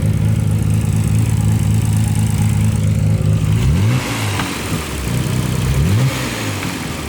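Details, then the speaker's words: Nissan GTR engine with confirmed rod knock: sounds fine at steady idle, but two sharp throttle blips bring a deep knocking that speeds up and grows louder with revs. "well guys it's the next day honestly we went to HP yesterday we confirm that it was rod nock"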